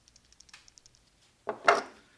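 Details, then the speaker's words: BMW 335i old belt tensioner pulley spun by hand off the engine: light rapid clicking then a loud clack, worn loose bearing, replaced with new. "here's the new tensioner pulley so as you can see this is the new one clearly good and this is clearly bad so we're going to get rid of a lot of noises with these old tensioners"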